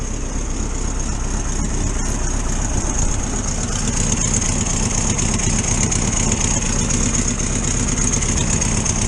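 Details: 1973 VW T2 air-cooled flat-four warming up on choke after carburettor jets were unblocked: idles a bit fast with a steady burble and slight unevenness. Normal warm-up idle; owner suspects a small exhaust leak.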